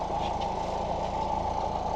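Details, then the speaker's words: 1989 Ford Mustang Fox 4-cylinder after injector rebuild, new exhaust and idle reset via idle screw: idling around 850 rpm, down from over 2000 rpm; low, smooth, even idle with faint steady hum, no surging or hunting; normal idle. "somewhere around I'd probably say the 850 mark so I might need to adjust it a little bit more but like it's much better than it was at it was at well over 2000 RPMs"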